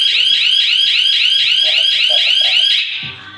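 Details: Hi-Q security alarm system, armed with motion sensor on and set off in a test; loud warbling high siren sweeps up and down about four times a second, then cuts off: normal alarm siren.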